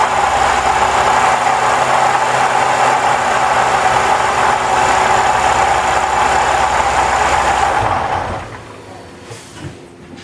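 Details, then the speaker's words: 2015 Lexus RC350 petrol engine at idle with a steady rattle about four a second from the drive belt area, suspected water pump bearing; belt and pulleys checked, water pump replaced to fix. "got this song 2015 Lexus rc350 it's got a rattle in the engine I'm thinking it's the water pump we're going to investigate and find out"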